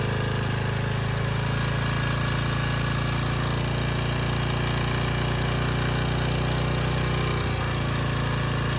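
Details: Briggs & Stratton Storm Responder generator repowered with a 10 HP Briggs engine, started after governor tab adjustment: steady, even single-cylinder drone pitched noticeably low and lazy; governor set too slow, engine underspeeding.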